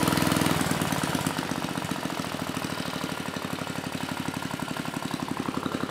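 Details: Mid-1980s Troy-Bilt Junior tiller, 3 hp Tecumseh HS35 engine (H35-45593R), after carburetor cleaning; throttle brought down from faster running to idle of about 1,000 RPM after pilot needle tuning. Even, steady putter about three beats a second, no misfires; normal idle.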